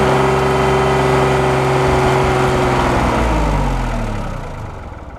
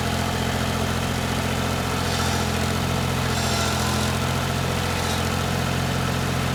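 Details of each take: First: 1988 Yanmar 336D diesel tractor, sat outside unrun for 6 years, first start in neutral: steady, fairly even idle clatter winding down as it is shut off quickly because coolant blew out the overflow pipe of the mouse-chewed burp valve. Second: 1988 Yanmar 336D diesel tractor, unrun for 6 years, after fuel, oil, air filter and coolant checks, throttle at three quarters; steady, even diesel clatter at raised idle with no misses or knocks, running healthy.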